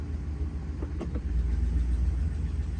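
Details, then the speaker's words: A 2014 Ram 1500 5.7 Hemi, after repair of P1416/P0306 cylinder 6 misfire including a new cylinder 6 MDS solenoid, idles with a deep, even V8 rumble, no stumble. It runs nicely, with a slight exhaust manifold tick still to fix. "I'm just going to fill that as you can hear it's running nicely has a little bit of a manifold tick that I'm going to have to fix"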